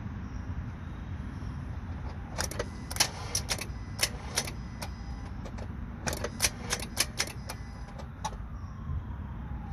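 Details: Honda Civic whose failed alternator drained the battery so far it won't take a jump start. It reads 12 volts unloaded but goes dead under starter draw. Key gives only rapid dry clicking, no cranking. No-crank from dead battery.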